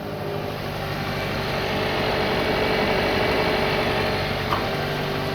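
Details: 2012 Hyundai Accent 1.6L GDI Gamma petrol engine after idler pulley replacement and belt retensioning: smooth even idle with no squeal or chirp from the accessory belt.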